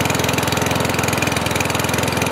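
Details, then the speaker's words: Kohler lawnmower engine reading 2300 rpm, under the 3,000 it should reach: steady single-cylinder putter, slower than it should be; governor spring tension is too low; engine speed too low. "As you saw, the number was under 3,000. Here it's reading 2300. So on this lawn mower here, what I need to do is speed up the RPMs."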